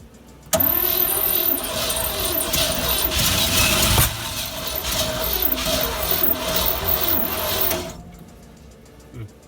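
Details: 1957 GMC 370 2-ton truck, original Pontiac 347 V8, formerly seized after 20 years sitting, 6625 miles: steady labored starter cranking about three turns a second before it coughs and catches on fuel poured into carburetor, smoky.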